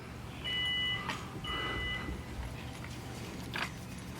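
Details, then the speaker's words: 2005 Toyota Sienna XLE power rear liftgate operating: two steady warning chimes while the hatch motor runs quietly, no grinding or straining; power doors and liftgate work normally. "the power door as you can see here everything works properly with the power doors and the power lift"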